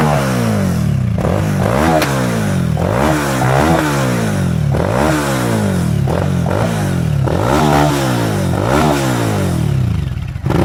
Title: klv1000 with gasoline in the exhaust system. (backfires)